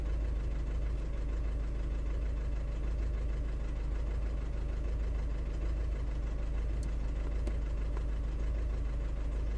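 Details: 2009 Audi A3 8P 1.6 TDI, remapped, codes P2463 and P0202, limp mode, DPF light: uneven lumpy diesel idle with irregular stumble every few beats; one cylinder misfiring, faulty injector suspected.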